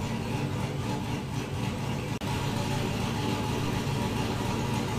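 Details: 2000 GMC Sierra 5.3 V8 idling after an intake and gasket swap from a spare 5.3, done for lean and misfire codes; loose front intake bolts were suspected. A low, even idle with a steady rumble and no miss or stumble; it sounds settled.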